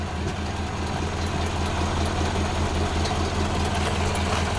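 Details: 1929 Ford Model A after oil pan gasket replacement and new oil filter fitted: steady even low idle, smooth regular beat, no knocks or misses; idling really well.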